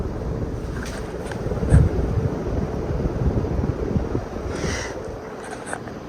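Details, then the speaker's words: Old 52-inch Encon Contempra Supreme Hugger ceiling fan on high speed, previously had bad bearing grind and still wobbles (loose screws suspected): steady rushing air with no grinding underneath; bearings now quiet, normal running. "But I don't hear any bearing grind anymore. Probably might have got silenced."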